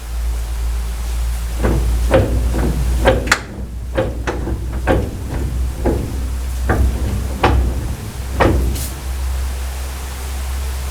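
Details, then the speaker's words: Steering wheel rocked back and forth with plastic pulled back near the front end: heavy dull uneven clunks about once a second; worn idler arm needing replacement, and the steering box also has some slop. "So that's an issue. We'll have to replace that idler arm."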